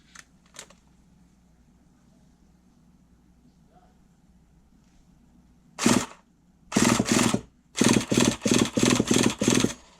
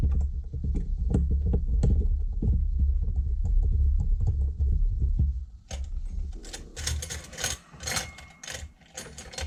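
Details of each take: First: RC nitro truggy engine, not warmed up, with old fuel in it and a 15-tooth pinion on a 49 spur (owner thinks it's a .25): starter gives short whirring bursts spinning it over, hitting the fuel; starter now engaging normally. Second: RC nitro engine turned over by hand: uneven dry clicks and scrapes about two or three per second with no firing; engine is dry and burnt up, seized.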